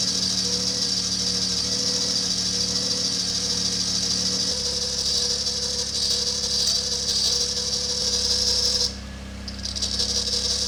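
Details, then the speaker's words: Acura TSX race car on cold start: a shrill, steady belt squeal; brake cleaner sprayed on the tensioner pulley leaves it as loud or louder, while spraying the alternator pulley silences it, so the source is still suspected. "Alright, so if I spray a little bit of brake cleaner onto the tensioner pulley, kind of really doesn't do anything, and actually kind of gets louder."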